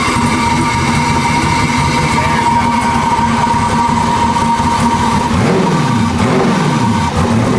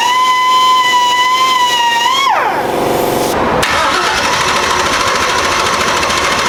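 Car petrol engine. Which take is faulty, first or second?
second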